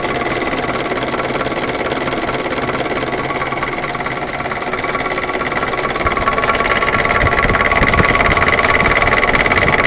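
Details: УАЗ 31514 with УМЗ 417 engine: sharp regular tapping about three per second over idle, louder as revs rise; owner asks what is knocking. Engine knock.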